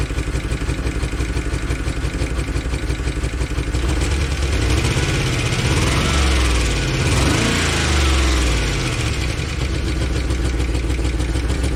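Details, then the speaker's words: 2013 Chevy Tahoe ex-police V8 (LS, DOD), started on a fresh battery: idle lopes unevenly at about three stumbles a second and smooths briefly when revved. Oil pressure is good, and a stuck lifter is suspected. The scanner shows a random multiple-cylinder misfire and a cylinder 1 deactivation intake valve control code. "yeah it really good oil pressure so it's probably just a stuck lifter in it"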